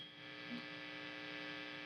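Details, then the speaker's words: Fender Twin Reverb Reissue '68 Custom: quiet, steady humming ring sounds on its own, worsening as reverb is turned up; the amp oscillates through a broken, poorly grounded reverb tank coax cable, fixed by coax repair. "This thing is feeding back in a really weird way. You can see if I even just tap. Now, some people might think this is a microonic tube."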